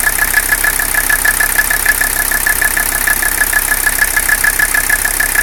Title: 300CD engine noise and rough idle